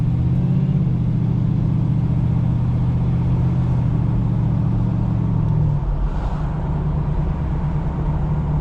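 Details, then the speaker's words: 1986 Oldsmobile Cutlass 442 V8 with rebuilt eBay Quadrajet carburetor, idling after a cold start having sat a couple of weeks: deep steady rumble, even beat, no stumbles or misses; sounds a little more aggressive and healthy versus the old carb. "Completely different. Sounds a little more aggressive. Sounds good, actually."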